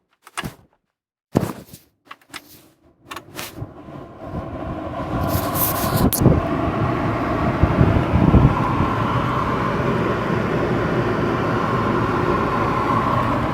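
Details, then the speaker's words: Audi AC/heater blower motor after removal and cleaning of leaves and dirt that caused a loud noise: after clicks and switch sounds the fan spools up to a smooth even rush of air, no rattle or ticking, efficiency much improved. "ما انتم سامعين صوت المروحة المزعج راح، وكفاءة المروحة تحسنت بنسبة عالية جدا."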